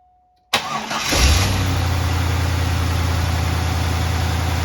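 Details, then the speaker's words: 1998 Corvette C5 cranking and starting, recorded before the belt, pulley and battery-charging repairs; battery voltage dropped to about 10.56 V while cranking. Brief quick crank, then it catches cleanly and settles to a steady, even idle. Normal cranking and start. "Alright, so you've seen that as I was cranking it over and starting the engine, dropped to about 10.56 volts, slightly less than the previous test because this test was actually done before done all those repairs, before I changed the belts and pulleys and before we charged"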